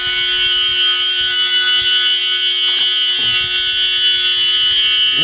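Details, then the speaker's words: RC Promoto bike after teardown and reassembly: steady high flywheel whine holding one pitch when rocked, unlike before; owner suspects something was loose and tightening everything fixed it; normal flywheel whine. "when I rock it the sound isn't changing um when I was outside and I did this this town changed a lot but it's no longer doing that so it sounds good"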